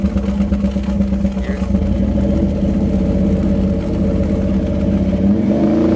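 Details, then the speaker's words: Crosley after sitting outside, a deep loose burbling idle with irregular watery gurgle; water trapped in the exhaust pipes, owner plans to drill drain holes. "kind of sounds like one of those uh Criss crafts idling underwater all right I should be embarrassed letting sit down there water getting in"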